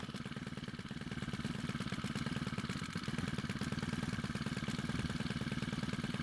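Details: Stihl pole pruner after carburetor cleaning and repair (years of stored fuel caused no-run), fuel primed via the bulb: small engine buzzes fast and even with steady firing, no stumbling or surging; starts and runs well.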